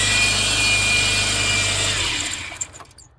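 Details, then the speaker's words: 2002 Subaru Forester with front-end noise, alternator belt slackened: a steady high whir and squeal persists over the engine, so alternator pulleys are ruled out; owner suspects a worn idler/tensioner pulley bearing on the AC compressor belt. "So you see the sound is still there. So these weren't rotating, so it's obviously not those two."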